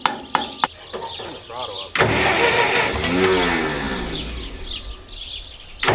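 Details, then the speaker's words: Massey Ferguson 65 tractor after carburetor work: short starter bursts, engine catches and rumbles a couple of seconds then fades out; owner says the starter isn't working right; hard start, repeated cranking. "the starters not working right that's what's wrong with the saints why we quit using the starter has issues"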